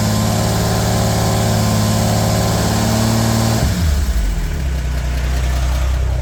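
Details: Narrow Gauge Bombardier engine after a new thermostat and gasket for running hot (an air lock in the heater hoses is suspected), run above 2000 rpm with the heat gauge where wanted: a fast, even speed dropping cleanly to a smooth low idle, no misses; normal running.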